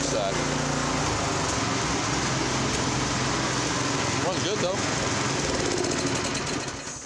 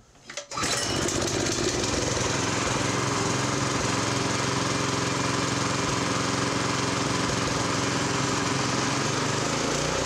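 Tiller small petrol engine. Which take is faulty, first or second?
first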